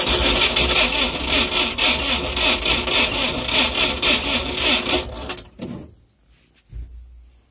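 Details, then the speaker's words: Cold UAZ engine run with no oil that seized, bearings spun; earlier grinding now absent, cold metal assumed contracted: rough rasping run with heavy rhythmic beat, dies abruptly after five seconds; spun bearings. "Вкладыши провернулись. И был конкретный скрежет, но его сейчас нету."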